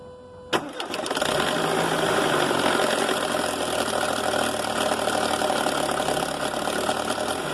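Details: Mercedes A160 with slipping clutch (wrong/reconditioned disc suspected): after start, idle with busy metallic rattle on top; timing chain noise attributed to a clogged chain tensioner, whose thread is losing grip in the head.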